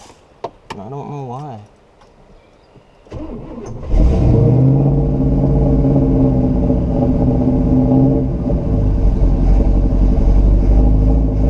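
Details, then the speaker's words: 1969 Buick Special Deluxe V8 that stalls within minutes with suspected fuel starvation, after carb rebuilds and turning the idle mixture screws further out: lumpy, wavering, uneven idle, running worse; timing also questioned, cause unclear. "I'm starting to get confused. It's running worse."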